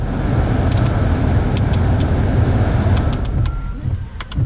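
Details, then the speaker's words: Car idling hot with all accessories on (headlights, wipers, defrost, AC) after the squealing AC/alternator belt was fixed; previously squealed on cold start-up and under accessory load. Steady idle, a few light clicks, no belt squeal; belt drive normal. "all right there we have it you know the car is good"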